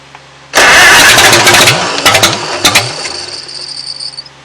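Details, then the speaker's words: 1940 Farmall H at its first start in at least eight years, fed from a temporary fuel tank. It catches with a loud burst, then sputters and coughs unevenly; the carburetor float keeps sticking and it probably flooded. "boy the float stuck on this one too i'm gonna shut the gas off she probably flooded like crazy"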